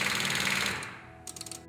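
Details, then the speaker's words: Ford-type starter solenoid: a rapid buzzing chatter followed by a short run of quick clicks about eight per second, meaning the battery is low on charge or there's a poor connection or cable in the start system. "it means either the battery is low on charge or there's a poor connection or cable in the start system"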